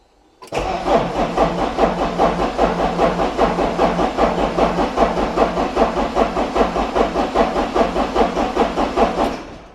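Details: Porsche 944, first start attempt after sorting electrical issues; fuel pump heard priming. It catches after a moment and settles into a steady, even idle pulse of about two and a half beats a second as oil pressure builds; runs healthy.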